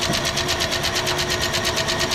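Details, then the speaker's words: 1967 Ford Galaxie 500 289 V8 after top-end rebuild, first start with rockers not yet adjusted; rapid light even ticking clatter from the top end over a fast idle; valve lash chatter before setting each rocker's lash. "Alvin and the chatter. I think it's got a little valve noise."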